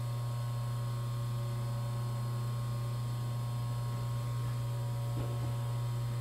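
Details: Three-phase motor run on 220 V single-phase power using starting capacitors, no converter: spins up, steady, even low hum with no knocks or wavering; runs smoothly.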